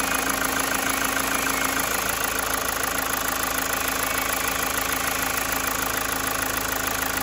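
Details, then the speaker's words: 2016 Mazda 6 towed in as a no-start with code P0337, crankshaft position sensor circuit low. After running a new crank sensor wire at the ECU it starts and idles steady and even: normal idle. "right guys this MDA is running as sweet as a not"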